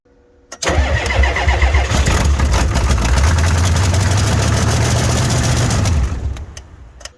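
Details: Ford F350 7.3 IDI diesel, cold at about 15°F, weak batteries on booster charger, some glow plugs suspected dead: slow labouring crank around 220 beats a minute for five seconds, never catches. Cranking no start, weak batteries.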